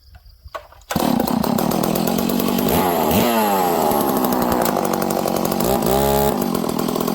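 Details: Stihl 038 Magnum chainsaw after a clutch repair: steady, slightly fast idle with a couple of short revs, no scraping or dragging; normal running, with the idle to be turned down to check the clutch doesn't grab.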